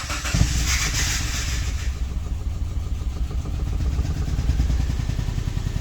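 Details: Subaru Impreza with codes P0301 and P0303 misfires and P0038 oxygen sensor code: cranks, catches and settles into an uneven, stumbling idle with a lumpy low exhaust beat.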